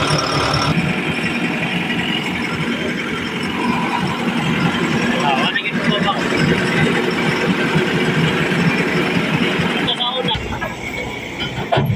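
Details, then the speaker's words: Backhoe diesel that would not start, pressure pump suspected but the recently calibrated injector found clogging; after cleaning and refitting the injector it runs with a steady, even, rough but consistent beat, no knocking or misfire: normal running. "So yun guys operation na yung Bak ho so sana naging okay na ito no so goods na goods"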